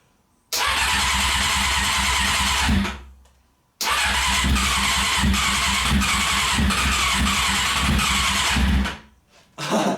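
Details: Honda CBR600 with starter fluid sprayed into each intake: two long bursts of even, rapid starter cranking, a few seconds each. It seems to want to fire but never catches; cranks, no start.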